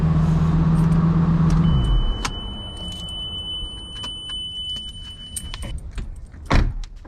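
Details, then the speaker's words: 2007 Lamborghini Gallardo radiator fan after replacing the faulty fan relay with a Carquest RAA1245: steady fan hum winds down and stops about two seconds after ignition off, then faint ticks; it previously ran on and drained the battery, now normal. "okay so now that the car is off the fan's turned off that's how it should operate so before this fan would just run and run and run and it would kill the battery"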